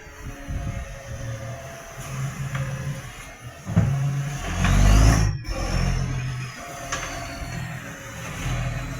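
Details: Tweed garbage truck 3218 with a massive exhaust leak: a loud, rough diesel that swells and puffs as it revs, with a raw, unmuffled bark.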